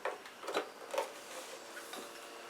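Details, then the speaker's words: Aiwa CS-J50 (CS-500) cassette boombox, just unboxed: the tape motor runs on its own as soon as it is plugged in, heard as faint irregular ticking in a quiet room. "motor's running as soon as you plug it in the uh tuning lights on"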